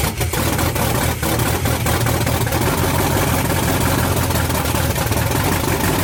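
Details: '78 Dodge Power Wagon with a 383 V8 from a '70 Cuda, first start in over 10 years on open headers, fuel added to the carb by hand after fixing a ground to the block: loud, deep, lumpy V8 rumble with sharp exhaust crackle; running normally.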